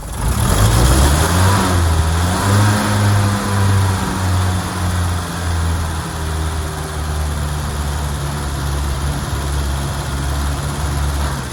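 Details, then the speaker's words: 1977 Land Rover Series III 88 petrol revved after losing power and stalling: uneven revving, stumbling pulsing beat and a backfire pop; fuel starvation from carburettor clogged with debris, likely from recently replaced fuel tank. "So we can hear there's a bit of a backfire. Anyway, we're going to investigate."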